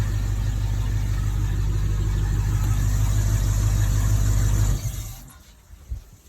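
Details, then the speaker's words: 2006 MasterCraft X15 boat engine with hard-start history after fuel pump replacement, on a fake lake, fuel pressure about 58 and holding after shutdown: deep, even idle with steady low beat, no misses or knocks, then clean shutdown; normal idle. "Okay, still getting 58. That seemed to start awesome."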